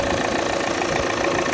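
Diesel idling just after a cold start with a thin steady buzz riding over the clatter; cause not identifiable by ear.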